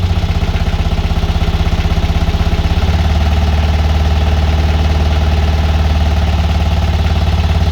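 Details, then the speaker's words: Boat BMC 1.8 marine diesel after owner's first service, just started after glow-plug preheat and given a few revs: steady, even beat with deep low thrum picking up smoothly when revved, no knocks or misses; normal diesel running. "isn't that bloody awesome oh i love it i love the sound of it and you know give it a few revs"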